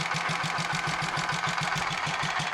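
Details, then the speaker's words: Royal Enfield 500 Machismo electric-start single, imported from India, at idle after cam gear backlash, pushrod and primary chain adjustment: steady ~5 knocks/s over busy top-end clatter; noise reduced but remains, cause unknown, engine to be opened. "I've got the engine running again after uh all those checks and there certainly less noise but there's something still there that we need to find and deal [Applause] with"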